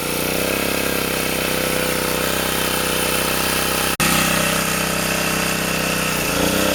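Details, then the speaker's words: Sportsman 2000 W generator, cheap, under space heater load (750–1500 W) after adding a governor spring to stop overreaction: steady, even drone with no hunting or surging; governor now stable. "I can I can put it up I can put this heater up to I don't know what's low 750 WTS 1500 WTS and I don't get that cycling anymore"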